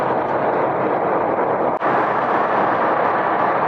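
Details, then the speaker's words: 2006 Volvo S60 T5 test drive after replacing the passenger-side front hub bearing, which had sounded terrible: only even road and wind rush at speed, no hum or growl; the new bearing runs quiet. "It drove great. It's nice and quiet. I think the customer's going to be pretty happy."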